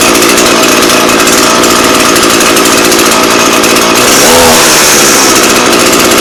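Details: Echo PE-225 two-stroke edger with a non-adjustable carb; it would only run on choke with little power. After richening the carb, it runs a steady high buzz with slight four-stroking breakup: a healthy, slightly rich tune.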